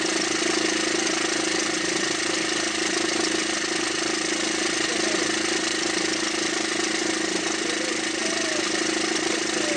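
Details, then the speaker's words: Diesel car engine after a diesel pressure sensor replacement, idling steadily with a light, fast rattle about three times a second; attributed to chain tensioners not replaced along with the timing chain; timing chain tensioner noise. "احنا ما غيرهمش الا وقت يعملوا صوت وهم لا يغيروهم بالوقت التغيير الكاتينه يغير كل شيء مع بعضهم واحنا ما يغيروهمش فيعمل الصوت هذا"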